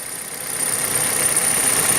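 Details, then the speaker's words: Petrol engine on some Kia/Hyundai at idle: light fast dry chatter from the fuel injectors (electromagnetic valves), normal and easily mistaken for lifters or timing chain. "Вот, например, на некоторых Kia Hyundai форсунки у нас стучат. Ну вот, если прислушаться, есть небольшое строкота стрекотание у нас"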